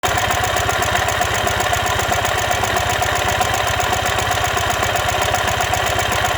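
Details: 2015 Ural Ranger: fast, steady metallic knock about four per second over the idle; caused by collapsed front crankshaft main bearing.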